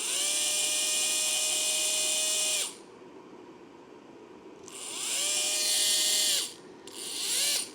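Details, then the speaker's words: Motor on a trigger-operated tool powered from a RIDEN RD6018W bench supply: high whine spins up and winds down with each trigger pull with a rough metallic edge, draws heavy startup current; owner thinks the motor bearing is shot. "Yep, okay, so if I squeeze this, the bearing is, I think the bearing is shot in this motor, that's why it's making that noise."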